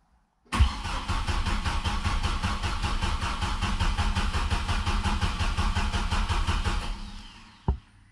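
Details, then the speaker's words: 2007 Chevrolet Colorado 2.9L after Passlock ignition switch replacement, before relearn: starter cranks evenly about seven seconds but engine never catches; security system cutting fuel, requiring key-on relearn. "after we install the switch we crank it it won't start leave the key in the on position okay"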